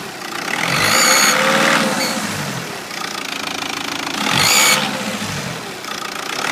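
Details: 2.0 BKP engine after turbo replacement: high, thin whistle climbs with each throttle blip and fades as revs drop: turbo whistle.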